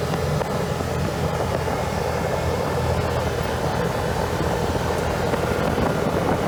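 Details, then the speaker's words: 2014 Can-Am Commander 800 after installing aftermarket Hayden 3680 cooling fan motor and bleeding coolant, no leaks: steady even rush of air over engine rumble, no rattle or scrape, normal cooling fan operation. "got everything buttoned up no leaks it's all good you guys want to hear the fan"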